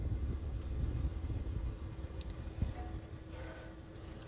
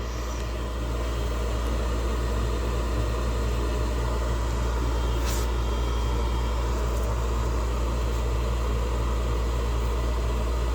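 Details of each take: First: Gas York furnace after a new blower wheel and new motor fitted to cure a loud noise: blower runs smoothly with a soft, steady low rumble, no knocking, scraping or squeal. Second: York gas furnace: loud steady rumbling roar with rough churning edge when the blower motor starts; blower wheel found broken with play, OEM motor.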